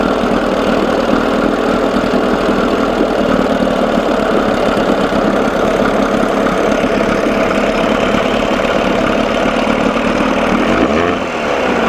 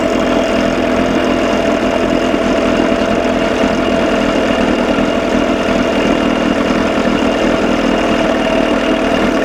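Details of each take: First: 1987 Johnson 6hp outboard in a test tank, mixture being leaned out after a carb linkage fix: a steady buzz with faint irregular stumbles as it starts missing. He then backs the screw out ¼ to ½ turn; the engine also runs cold. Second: 1987 Johnson 6 hp outboard after carburetor linkage fix; smooth even buzzy idle with no misses or surges, running clean; sounds good but runs too cold, owner hears a noise he suspects is something loose.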